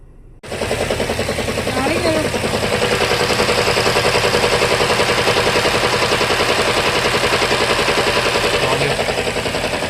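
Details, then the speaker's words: Toyota Camry 2022 petrol engine idling with a choppy, uneven misfire; cause was a faulty ignition coil, fixed by replacing the coil. "य हमारे पास कमरी 2022 model इसका मसला है गाड़ी missing करती है तो अ इसका चेक करते हैं मिस फायर चेक करते"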